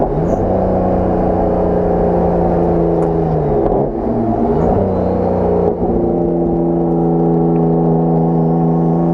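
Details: Nissan Skyline R32 GTR on track at Dubai Autodrome: the engine pulls hard with a rising drone that wavers and briefly drops out mid-pull. Misfire under load, cause unknown.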